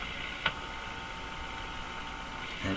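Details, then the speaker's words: Faint steady hum from the speaker of a Mohawk Model 1240 five-tube radio, with a click as the meter probe touches the high side of the large resistor near the volume control input while the AVC capacitor is removed; probably the meter picking up hum. "it's probably the meter picking up hums and conveying it into the radon basically touching the input to the volume control"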